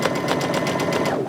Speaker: it doesn't sound very good so something you know something is going on i always i always say listen to your machine bond with it and listen to it it'll tell you when something is not right